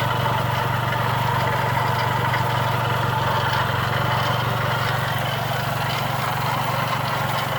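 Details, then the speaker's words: Chrysler PT Cruiser engine running with a loud, rough scrubbing rattle over it the whole time, recorded outside the car; the noise was traced at teardown with the timing belt removed, a failing water pump bearing. "This the one that was making all the noise. While it was running loud, scrubbing noise, I sold tear down time."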